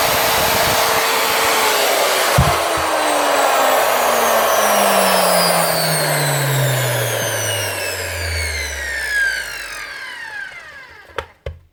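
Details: Repaired grinder after gluing the fan back on: motor whine coasts down smoothly over about ten seconds with no rattle, rub or grinding; field not burnt; normal running.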